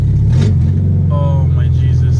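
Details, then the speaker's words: Nissan B14 with SR20VE engine, Tri-Y header fallen off after its four bolts came loose, given one quick rev: deep, very loud, completely unmuffled bark. Open header exhaust. "sr20 ve Charlie why opinator kinda want to drive it I don't want to rev it though because it's loud give it a quick rap"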